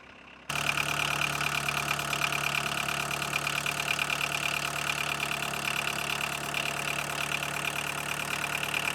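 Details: 1982 VW Golf Mk1 1.6 diesel, sat 12 years, after oil, filter and coolant service: catches and settles into a steady diesel clatter at even idle, no misses or hunting; normal idle.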